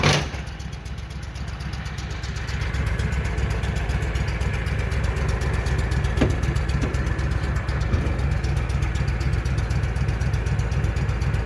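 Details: Walker mower that had been backfiring through the carburetor, idling after repair with belts checked, before a grass test: steady low idle, even regular beat, no misses, knocks or rattles, normal idle.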